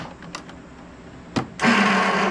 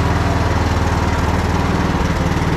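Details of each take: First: Troy-Bilt Bronco riding tractor, not started in about a year, on a jump pack at about 12.5 V after starter wiring was reconnected: a few clicks, then a harsh high whir for about a second with the engine not turning; starter spinning free with a stuck Bendix drive. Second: Troy-Bilt Bronco riding mower, single-cylinder engine, unstarted for about a year and running on old gas after choke: even, steady thrum at about three beats a second with no misses or surging; running surprisingly well.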